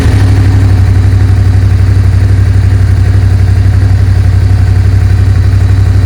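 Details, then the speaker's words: Suzuki SV650S V-twin after carb cleaning and carb sync, airbox refitted: deep, even beat holding steady, no popping, banging or hanging revs; carbs nicely tuned, throttle response good. "so guys as you can see our carbs are nicely tuned up the revs are staying nice and steady thr fral response is there the revs are not hanging anymore it sounds good no more popping and banging"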